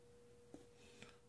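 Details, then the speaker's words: 12V 2A/10A switch-mode battery charger after capacitor replacement, on 10A high output charging a battery: steady thin tone near 500 Hz with a few clicks and a handling thump; normal switch-mode hum, quieter at 2A. "I don't know if you can hear that she's humming pretty good there but uh yeah she's working but you can hear it sing I'd say switch mode power supply"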